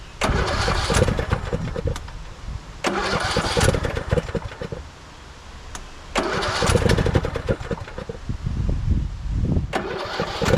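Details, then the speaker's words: 2014 Craftsman T1600 lawn tractor, trade-in that had died while mowing (broken blade safety switch, bypassed): engine catches in ragged bursts, surges and sags, never settles to an even idle; fuel filter disgusting, owner doubts the carb is clean. Rough running. "I'm more worried about batteries. Doesn't sound like a clean carb, does it?"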